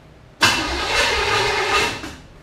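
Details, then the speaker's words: Chevy 5.7 SBC in a 1980 Camaro, first start, giving gas while advancing the distributor. It catches about 1.5 seconds, stumbles and dies; it won't keep running, and the owner thinks it needs more advance. "almost a little bit more gas a little bit more advanced just needs more advanced"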